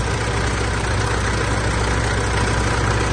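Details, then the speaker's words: Mitsubishi L200 Triton 3.2 DI-D direct-injection diesel, idling after start: rough rapid knocking clatter from worn timing chain; replaced with original semi-new kit. "pode ver que tá bastante morrido esse ruído é proveniente da corrente de comando dela"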